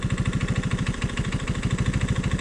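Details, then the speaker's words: Old Honda ATC185 three-wheeler, single cylinder: an uneven, lumpy, loping idle, the best it can be set. It shifts and starts fine; the mixture screw is being tuned toward about 2¼ turns out (spec 1.5) and the idle screw spec is 2.5. Rough idle. "That is about as good as I can make it idle. It's shifting fine, and it's starting okay."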